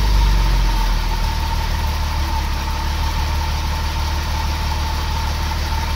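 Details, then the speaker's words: Irmscher-kitted Vauxhall Senator CD 3.0 24V straight six, parked months for cutting out, warming up at idle: slightly uneven wavering idle, cut out while crank sensor wiring was wiggled; intermittent stalling. "wait for it to cut out sort of done it so just having a look there i'm just wiggling the crank sensor and then it cut out"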